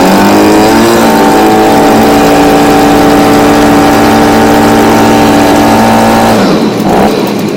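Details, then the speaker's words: Stihl BG55 blower that wouldn't start, after fitting a new C1Q-S68G carburetor to replace the old one with a torn diaphragm: a bright two-stroke buzz climbs, then holds a steady high rev without surging or bogging and shuts off cleanly, running properly. "as if we get some more power nope it's pretty good right"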